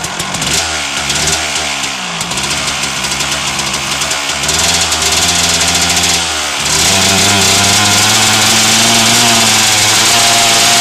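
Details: 1997 Suzuki RM250 two-stroke after header pipe dent repair, started in gear on choke: crackly engine catches, blips up and down, settles into sharp even ring-ding; starts, runs and revs cleanly.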